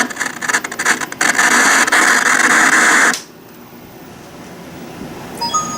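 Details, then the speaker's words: CRT TV speaker gives harsh crackling static while the volume knob is turned, cutting to quiet hiss; scratchy volume potentiometer, with some vertical hold issue. "A little bit of vertical hold issue there. I can hear the potentiometer making noise."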